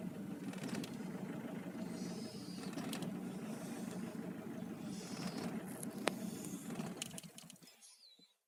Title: 2005 Nissan Pathfinder R51 diesel misfire cold start